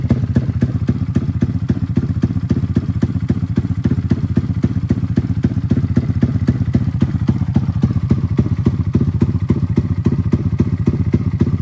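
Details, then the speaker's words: Custom 300cc big-bore stroker Honda Grom single-cylinder engine, freshly built, first runs: uneven lumpy thumping at about 220 beats a minute; rough running, fuel tune still needs work and it stalls when cold. "so I got to work on the tune it's still kind of stalled when it's cold but I'm really just starting it and getting it running right now"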